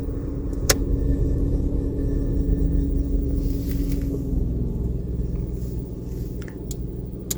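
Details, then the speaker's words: 2019 VW Polo 1.0 parked with engine running: cabin blower fan on level two makes a weird grinding hum that sags in pitch and fades as the fan coasts to a slow stop when switched off. "there's just a like a weird like grinding noise in the background it's just it the fan sounds like it's blowing at least on level two"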